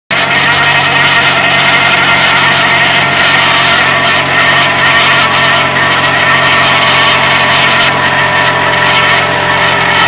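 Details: Car engine on a morning cold start with a steady, bright rattling hiss at even pitch that goes away after about 3 minutes once warm; cold-start engine noise, source not pinned down.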